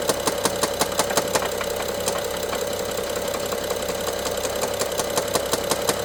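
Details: BMW F07 N55 at idle: sharp regular ticking knock about three per second from top end, loudest by cylinder 1 injector and mid servo connector, worse with throttle, intermittent; timing chain inspected OK, cause unfound.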